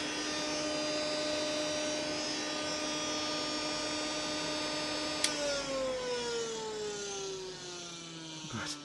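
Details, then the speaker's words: Car radiator fan as 12V off-grid bathroom exhaust fan: loud steady air-raid-siren whine gliding down as it coasts to a stop; blade rubbing on a wood splinter stuck at the fan edge, removed afterward. "I got to figure out what sounds like an air raid siren right now. I think it's rubbing against something somewhere. All right. So, there was a little splinter of wood stuck in to the edge of the fan there, and it was like a It's like the old playing card on the bicycle spoke."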